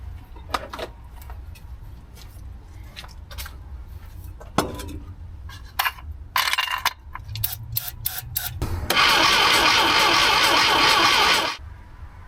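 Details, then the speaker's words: The 800 on the starter: it churns steadily at about four beats a second with more power but never catches; cylinder one reads about 70. It later fired after the distributor was moved one tooth and ether was used. "It's definitely got more power, but I'm still not getting it to catch."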